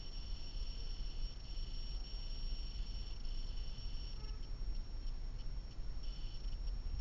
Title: Blackvue DR750x -2ch lte plus humming noise